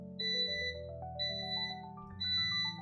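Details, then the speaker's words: Inverter on a 12V 314Ah LFP lithium battery at end of a full-capacity discharge test, about 11.1 V and 287 Ah drawn: steady half-second high beeps about once a second, low-battery warning before shutdown at 10.5 V. "So the inverter is already beeping. You can hear that. So the inverter is beeping and it will shut down any moment."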